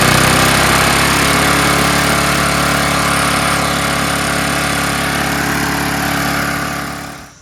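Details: Snapper Hi-Vac mower rebuilt from two mowers, previously hard to start after being tipped on its side: small single-cylinder runs at steady even speed without stumbling, then winds down cleanly at shutoff; normal running.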